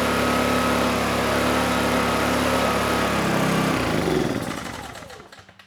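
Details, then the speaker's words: Hard-starting Honeywell HW2000i 2000 W inverter generator, dirty carburetor, started with starting fluid: steady, fast, even run for about four seconds, then drops off and winds down once the choke is turned off; fuel-starved, carb needs cleaning. "the engine actually was running on the carburetor the carburetor took over but only with the choke on once I turned the choke off the engine installed"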